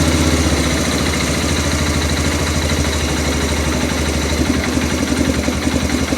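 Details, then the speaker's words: Arctic Cat 400 4x4 quad with new carburetor, freshly started and not yet warm, idle screw turned down: slow loping stumbling idle sagging as if about to stall; idle set too low, owner expects it to improve as it warms. "Almost wants to die on me."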